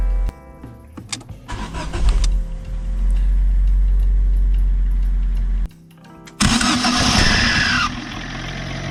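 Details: Fiat Seicento after cleaning the noisy starter motor: short, quiet, even cranking without grind or clatter, then engine catches and settles; starter engages cleanly, music in background.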